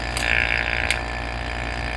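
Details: Vacuum test of a 200-4R/700-R4/4L60E transmission pump boost valve circuit with the opposite orifice not fully covered: a steady low pump drone with a hissing, sucking rush of air drawn in, a vacuum leak.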